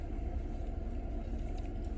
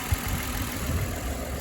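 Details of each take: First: Toyota Camry V6 (2008 or 2009) that had idle vibration and a cylinder 6 misfire, after the cylinder 6 coil was replaced: steady, low idle rumble with an even beat; smooth, no shaking or misfire counts. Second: 2008/2009 Toyota Camry V6 at idle with a vibration complaint: low engine idle with an uneven, lumpy beat and occasional stumbles, a misfire.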